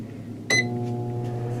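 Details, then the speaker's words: 33-year-old microwave after replacing the failed magnetron, plus new fuse, diode and capacitor; short beep, then steady low hum without rattles or buzzing, drawing about 990 W versus 275 W before; normal microwave operation. "Oh, that sounds awesome. That's more like it. We're 990 watts or so."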